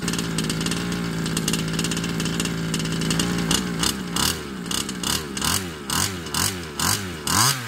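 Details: Baja 5B two-stroke RC engine on fresh fuel mix after carb cleaning: wavering high buzzy idle surging up and down about twice a second, hunting, never clean; carb or piston ring suspected.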